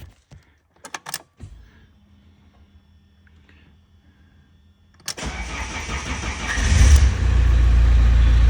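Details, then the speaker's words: Fiat Doblo that would not start, with hazards constantly flashing, after the repaired and cloned unit was refitted, tested on the first key: a few clicks, a pause, then it cranks and catches promptly into a steady, even idle. Normal engine start. "заводиться тепер беремо другий ключик"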